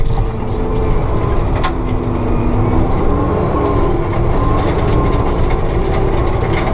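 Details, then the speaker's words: Forestry mulcher drum spinning back up to speed under load: heavy low rumble with the hydraulic pump whine sliding upward as it recovers. The operator has no pressure gauge and judges RPM by the pump sound. Working normally. "And now I just go by the sound. I can hear the RPM, or just feel it. And listen to the pumps working, so I can tell when it's spinning back up to speed."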